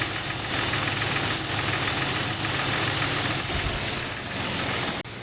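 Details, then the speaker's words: Jeep 4.0L engine at idle: steady, fairly fast knock that seems to come from the middle of the block, hard to pinpoint, could be mistaken for piston slap; source not yet located. "the ambient noise is very hard to pinpoint almost impossible to tell where the sound is emanating from it seems like the middle of the engine block this noise could be easily mistaken for a piston slap"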